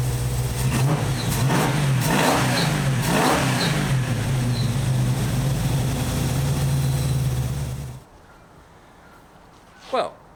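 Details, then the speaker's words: 1968 Valiant Ute 318 V8 after idle mixture screws reset to 1.5 turns out: blips up and down cleanly several times, strong even note until shutdown; normal running and revving. "it's running a lot better well it's actually running"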